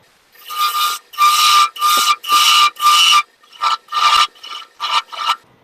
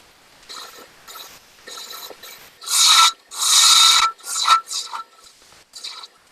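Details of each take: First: Wood lathe turning a madrone finial held in pin jaws, spindle roughing gouge cut pushed hard: repeated bursts of harsh scraping with a ringing squeal near one pitch on each pass; tool chattering and resonating against the thin spindle. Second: Lathe turning a madrone wood finial held in pin jaws, bevel riding the wood while slicing with light pressure: dry, even slicing hiss in short strokes with no rattle or chatter; clean cut.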